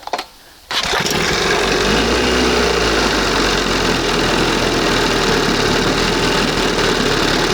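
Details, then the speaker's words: 1971 20 hp Johnson two-stroke outboard, after dremeling the throttle cam: fires up and runs with crackly, uneven popping over the buzz, too lean; mixture later turned back slightly. "Damn. She was popping and too lean, way out like that. Ah! She likes it lean and sneezy, baby."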